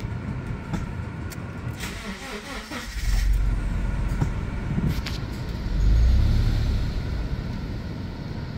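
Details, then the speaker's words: Subaru with super low idle (oil pressure light comes on) stumbling and sagging twice when throttle tapped, nearly stalling, repeatable at idle and in reverse; also misfire at upper rpm, cause not yet found. "so this is pretty pretty repeatable of you know pretty much at idle it just wants to stall out here oh she almost stalled again"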